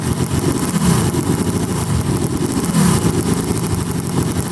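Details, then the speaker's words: Yamaha Banshee two-stroke quad with a dirty air filter and likely dirty carbs, revved hard: ragged, uneven revving with stumbling beats, a misfire; the noise seemed to come from the left side, and the owner suspects a blown left crank seal. "i don't know if you guys heard that noise it sounded like it came from either the crank or the cylinder and it specifically sounded like the left side"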